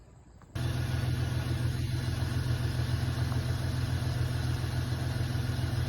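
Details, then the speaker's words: 7.3 IDI diesel, hard starting even with jumper cables and charger: low, steady cranking at about three and a half per second, keeps turning but struggles to catch; battery cable voltage drop being tested. "try to get this pig to start that sounded better just needs a little little Spritz have to let the let the battery charger sit on it a bit"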